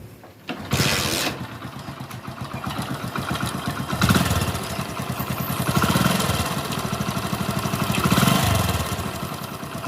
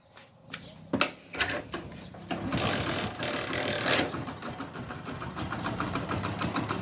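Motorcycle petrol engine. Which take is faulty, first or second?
first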